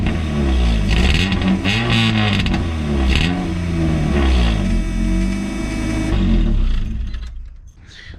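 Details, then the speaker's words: Car revving with a harsh buzzy rasp riding on the exhaust note, heard over the fuel pump, because no resonator is fitted; resonator to be added. "you guys can hear that raspiness over the fuel pump so let's get this car jacked up and figure out where we're putting this resonator quick"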